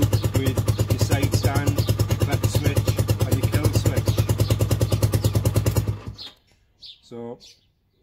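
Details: Lifan 125 single-cylinder after resoldering a loose wire in the kill switch that caused a no-start: steady even thump about three beats a second, smooth idle six seconds, switched off cleanly; normal idle.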